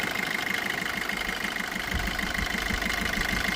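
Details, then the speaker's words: 2016 Maruti Swift Dzire VDI diesel, 107,000 km, no leaks: steady idle with even clatter about twice a second, no knocks or misses, engine healthy. "Engine భాగం అద్భుతమైన స్థితిలో ఉంది. ఇంజన్‌లో ఎలాంటి సమస్యలు లేవు; వాహనం మొత్తం మీద చాలా మంచి స్థితిలో ఉంది."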